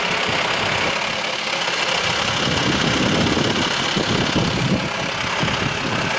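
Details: VW T5 2.5 AXD diesel at idle: loose, uneven metallic clatter about three to four a second; worst when turning the steering wheel; source not pinned down.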